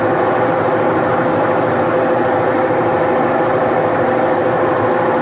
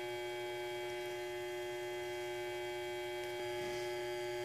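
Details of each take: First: Electrolux washing machine after repairing the broken capacitor wire that had stopped it spinning: steady, even whirr with a faint constant hum, no knocking or scraping; spin cycle running normally. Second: Electrolux washing machine that hums but won't spin, motor run with belt removed; steady low electrical drone with nothing turning, motor not starting due to loose, burnt capacitor wire.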